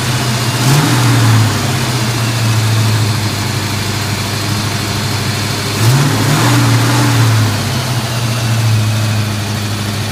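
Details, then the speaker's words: 1988 Mustang V8 after pressure washing left moisture and corrosion in the distributor; cap and rotor dried, retimed, coolant bled. Still rough, lumpy idle with a miss on throttle blips; owner suspects cap and rotor or distributor need replacing. "Still a little rough. Thing is, you need to replace the cap and rotor."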